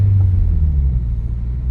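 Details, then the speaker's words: Turbocharged Subaru BRZ after throwout bearing replacement, test drive shifting gears: only low, even engine rumble, no chatter, squeal or grinding; clutch engages cleanly and smoother than with the old seized bearing. "perfect no issues at all and it feels a lot smoother honestly I think that other one the seiz of the other one was definitely rough"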